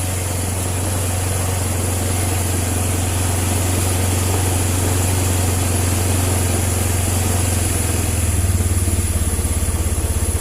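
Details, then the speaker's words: Honda Vario 110 (first model) scooter running with the battery disconnected: a steady, even idle that blips cleanly on the throttle where it stuttered before. This points to the old regulator/rectifier being faulty. "Nah, sekarang sudah normal. Di gas kontan pun dia oke, tadi berbet."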